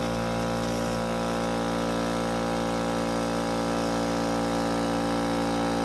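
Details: Central Pneumatic air compressor refilling its tank after a leaky drain valve was swapped for a new, hopefully 1/4 NPT, valve: steady motor hum with an even pulse of about three strokes a second, no knock or squeal. Normal running.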